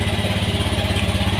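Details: Honda Beat FI scooter, single-cylinder, idling after a no-start fault traced to a failed battery rather than the suspected relay pin 4; quick even low thump, steady rhythm, running smoothly with no odd noises.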